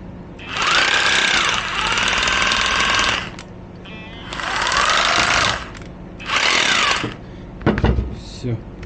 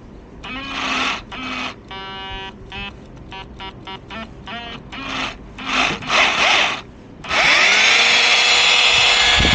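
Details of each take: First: Used Makita 18 V cordless rotary hammer, originally lit up but would not run, now repaired: three clean bursts of motor whine with rapid hammering in hammer mode, spooling up and down evenly with no grinding or rattle; brushes still need buying; tool runs normally. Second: Cordless rotary hammer that wasn't working, run partly reassembled with brushes and battery fitted: high motor whine bursts, then a steady run with a rattle. Hammering works, but an odd noise near the trigger area is suspected to be misalignment.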